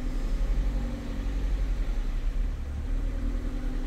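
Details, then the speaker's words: Ford Fiesta idling badly when cold, cold start; idle hunts and surges every second or so with no pedal input, TPS reading very erratic while pedal position is unchanged; worn contacts in throttle body position sensor suspected; erratic idle. "tps number is very erratic obviously our calculated load is changing a little bit because of our uh position of the throttle blade but our app obviously is doing nothing and we are getting a very very erratic idle"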